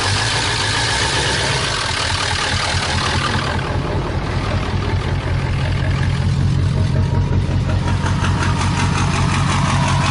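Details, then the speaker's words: 2001 Ford E350 PowerStroke, run without air filter or antifreeze, overheated and block frozen, started on starting fluid: heavy, lumpy diesel idle that never settles evenly, clearly something wrong; blow-by checked next. "You hear a diesel idling like that, there's definitely something wrong."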